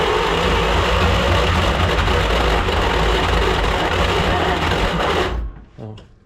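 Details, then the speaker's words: 1938 Dodge D8 sedan engine, unstarted for roughly 30–40 years, on starter fluid with the charger in start mode. Steady cranking with uneven firing pulses as a few cylinders catch, then it dies away; it won't keep running. "That was close. That was close. Then we picked up a couple more cylinders there."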